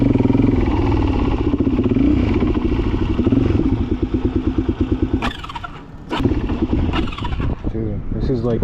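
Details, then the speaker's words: Suzuki DRZ dirt bike first run after carb reinstalled following a winter of work: thumping single stumbles, fades and surges unevenly instead of holding revs; owner suspects it is not getting fuel. "I think it's not getting fuel. That's why it's being [ __ ] right now."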